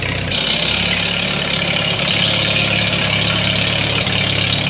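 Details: 1939 Farmall H tractor after tune-up (new plugs and wires, timing redone, new gas), previously missing: steady low exhaust beat at idle about three pulses a second, no stumbles; running cleanly.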